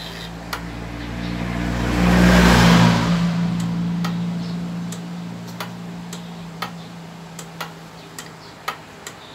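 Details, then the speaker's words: Copy racer motorcycle whose starter won't crank. A rumble fades, then steady dry clicks about four per second with no cranking. The starter relay is chattering, and the mechanic says this is usually a weak battery. "Minsan karamihan yung mga ganyan na sitwasyon mga ka-Motors, yung mga issue ganyan ay sa battery po yan mga ka-Motors."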